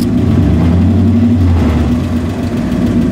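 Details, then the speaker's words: 1986 GMC K5 Jimmy V8 (Chevy Blazer twin), rebuilt 700R4 transmission, odometer 95K: starts right up, good oil pressure and temperature, recently towed 4,000 lb boat trailer without overheating; steady deep idle with slight old-engine chatter, healthy. "as far as running starts right up the good oil pressure"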